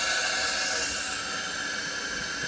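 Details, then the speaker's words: Lexus RX330 3MZ-FE engine with rough running, knocks and vibration: blowing into a cylinder by mouth gives a loud, steady hiss straight through to the crankcase. The cylinder won't hold pressure, pointing to worn rings; the valves are oily. "я думаю просто ртом уберут и вопрос со своими легкими отдается и она уже шипит но напропалую"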